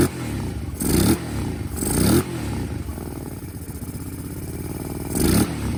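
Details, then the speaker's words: Kawasaki KFX 700 V-twin ATV after rear-cylinder valve adjustment with front spark plug refitted: catches and runs, short revs rising and dropping cleanly with a lumpy off-throttle beat; normal running. "I put the front plug back in, and with adjusting the valves on the rear cylinder, it fired right up."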